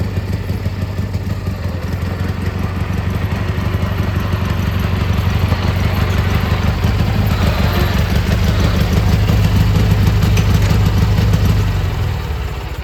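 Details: Gravely G-16 (late 80s–90s, owner unsure of year), revived after sitting a few years, driving on its own fuel: steady, even low putter holding speed then easing off, no knocks or misses; runs and drives well, smokes slightly, normal running.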